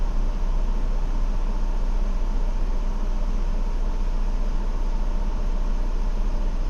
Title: 2016 Ford Explorer Limited Rough Idle 2